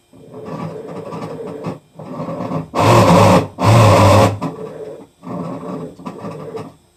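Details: Hitachi Beat Wash Slim washing machine, drum agitating back and forth: a rough, gravelly rattle in uneven bursts about a second long; owner wonders if it is nearing end of life; cause unknown.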